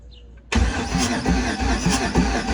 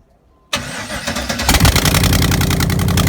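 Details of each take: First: 1988 Trans Am with a 5.3 LM7 LS swap, first start attempt after wiring work. Starter cranks with an even churn, about two turns a second, but nothing fires: no spark. A disconnected ground was then reattached before retrying. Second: 1988 Pontiac Trans Am with 5.3 LM7 LS swap after wiring completed: short crank, then fires and settles into a steady, even V8 idle with no stumbles or misses; healthy engine.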